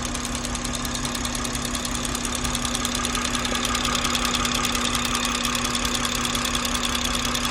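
A sharp, quick and regular ticking rides clearly over a steady idle, keeping time with the engine; source of the tick not identified.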